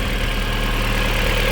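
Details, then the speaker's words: VW Golf 4 GTI 20-valve turbo, after full service and valve cover gasket replacement with coils refitted: smooth, even idle with steady low pulse, no ticks, knocks or misfires; healthy. "Un bon moteur qui tourne bien, qui ronronne bien, c'est bon ça."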